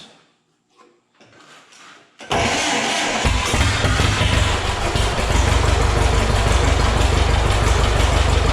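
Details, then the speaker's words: Heavily modified John Deere A tractor, restart after rebuild with a little throttle held open: cranks, catches, then a strong steady low thump with no knocking; oil pressure about 18 psi, no oil filter leaks, normal. "yeah she runs just about 18 pounds which is about where they should run actually we've got no leaks at the oil filter which is like perfect the starter works"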